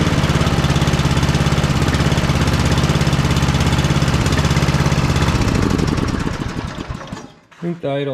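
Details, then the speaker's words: Simplicity Cavalier 3110 riding mower, 11–12 hp Briggs & Stratton single, run on a jumper pack after throttle adjustment: rough thumping, speed sags and nearly stalls toward idle; owner suspects the carburetor idle adjustment is set too low. "we'll fire it up and see what happens now I turned my jumper pack on it's still going doesn't really want to idle but"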